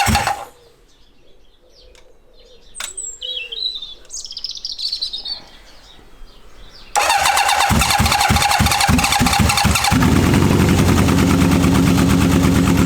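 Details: Honda CB750 K-series, first start in years on unleaded petrol after fuel blockage, choke on: cranks and catches into an uneven lumpy beat; running on only two cylinders on one side, cause unconfirmed though coil doubted.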